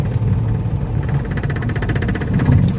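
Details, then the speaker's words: Volkswagen Polo 1.2 petrol pulling away in first gear: light, fast rattle over low engine rumble from a loose fender liner whose screw and nut at the chassis came out. "First ഗിയറിലേക്ക് ഇങ്ങനെ താങ്ങിയെടുക്കുന്ന സമയത്ത് ഇതുപോലെ റൈറ്റ് സൈഡിൽ നിന്ന് ലെഫ്റ്റ് സൈഡിൽ നിന്നൊക്കെ ചെറിയൊരു എന്തൊരു അടിക്കണ സൗണ്ട് കേൾക്കാം."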